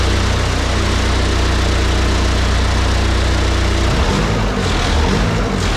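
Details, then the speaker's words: Fairly used turbo diesel in a snowcat build, one of its first starts: deep, steady idle with an even low throb, smoking a little; fired up easily and runs well. "that is surreal that really fired up without much problem uh I mean I can't ask for better than that runs pretty good smoke a little bit it is a fairly used motor so that's okay"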